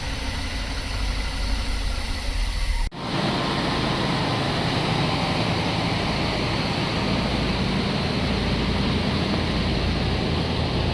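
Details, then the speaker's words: Chevrolet Express van after fuel filter, MAF sensor and lock cylinder change, weak battery: after a short dip settles into an even, steady idle, no misses or stumbles, all cylinders firing; normal idle. "That sound is heard when all cylinders are firing. You hear that a lot cars only running on four cylinders in the traffic."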